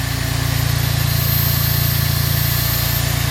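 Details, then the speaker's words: Smart car engine idling after new water pump fitted, before engine fully installed; small engine idles smoothly with even pulses, turbo audible, some smoke noticed coming off; normal idle. "you can actually hear the turbo that looks like an x6s"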